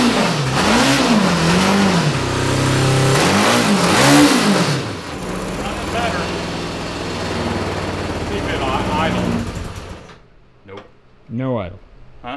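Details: 1982 Honda CB750 DOHC four-cylinder in a cross kart, revived after stuck engine and head service; revs swell and sag with throttle, then stumble and die into weak blips, won't hold idle; middle cylinders suspected dead, ignition suspected, carbs later rebuilt.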